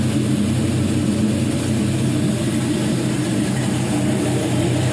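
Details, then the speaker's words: 5.3L LM7 Gen 3 LS truck engine, 140k miles, running on a test stand with new water pump, alternator and power steering pump: smooth, even idle with no knocks or ticks and no exhaust smoke; healthy idle. "this engine was well taken care of and i'll let you hear the idle here [Music] and obviously you can see that exhaust there's no smoke there's no haze there's no nothing coming out of that"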